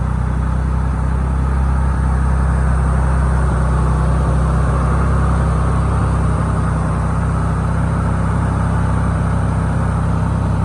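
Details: 1990 Nissan 300ZX twin turbo, not started since 2018, with a low, steady idle and an uneven beat three to four times a second. It is smoking, plugs are black and it smells rich; misfire at idle, cause unknown.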